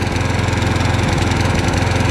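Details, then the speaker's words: Craftsman push mower after draining overfilled crankcase oil: no longer smokes, but runs at a steady speed with a low thump that stumbles and pulses unevenly. Owner suspected oil in the carburetor; rough running, fixed by a carburetor clean. "doesn't smoke anymore but it still runs a little rough i think maybe a carburetor might be filled with uh some oil"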